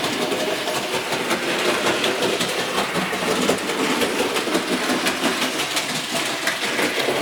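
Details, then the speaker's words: Model locomotive A.H. Peppercorn pulling a load: uneven clunking a couple of times a second over rail clatter, with wheel slip. Caused by a split main drive cog, fixed by fitting a new set of wheels. "right what you've just heard that clunking sound is where the main Drive Cog on this locomotive is split and I'm going to show you how to fix it"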